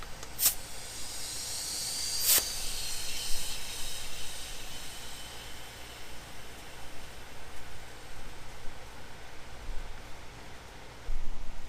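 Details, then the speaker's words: Mitsubishi Eclipse GSX intake pressurised to about 20 psi with a DIY boost leak tester: faint steady airy hiss with a couple of sharp clicks; boost leak at the intercooler coupling, owner plans hard intercooler piping. "leaking out that inner core coupling right here so the funny thing is I've never noticed a boost leak"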